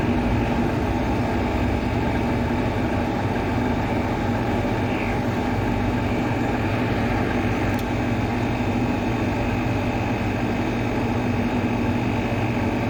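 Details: Water cooler fan motor: steady, even hum at constant pitch with no grinding, rattle or wobble; the motor sounds like it is running normally.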